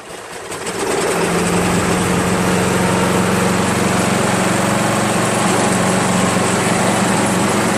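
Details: Free Craftsman 7HP self-propelled mower, hard to start and needing priming despite lapped valves and cleaned/replaced carb: single-cylinder idling with a slightly uneven, loping beat; runs rough, cause not pinned down, spark/ignition coil being checked.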